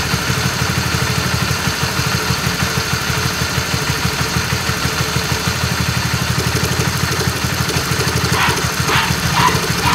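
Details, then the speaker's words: RS150 motorcycle at a lumpy idle with rough, uneven clacking about two knocks a second ("klotok"); worn, faulty cam chain tensioner letting the chain slap, before replacement with an original Honda Wave 125 tensioner. "So, today I want to change my tensioner Since my tensioner had a bit rough sounds Like you heard from the early video"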